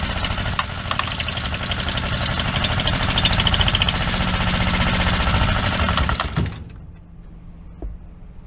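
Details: Kohler 725cc V-twin Pro Drive mud motor with a thrown cylinder 1 connecting rod (2012) and a makeshift non-steel key. An uneven hammering beat at about 3.5 per second with lopsided firing, then dying away: it runs on one cylinder.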